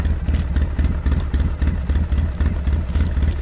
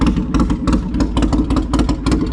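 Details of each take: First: 2007 Polaris Sportsman 700 ATV after a muffler change: steady low thumping idle at about four pulses a second, even and subdued, no knocks or rattles; very quiet, normal idle. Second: 2007 Polaris Sportsman 700 ATV idling with the muffler removed during a muffler change: a loud, raw, lumpy popping beat like a big Harley twin. Loud open exhaust, no muffler.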